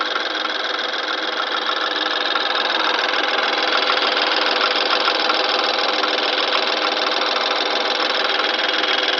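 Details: BMW N20 petrol engine, 2013 (63 plate), 6,000 miles: fast, fairly regular metallic rattle over idle after a cold start; owner suspects turbo or wastegate flaps, not confirmed.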